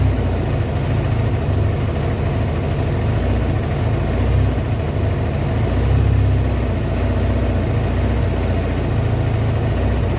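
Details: Kawasaki ZL600 V-twin after a project revival, just fitted with a new battery and pod air filters, warming up with smoke off the exhaust: smooth, even idle holding a steady low beat with no misses or knocks. A healthy warm-up.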